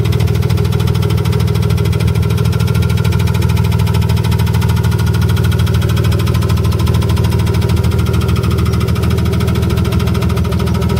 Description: Knocking/ticking from an e36 m3 S52 engine in a BMW e30 with hood closed.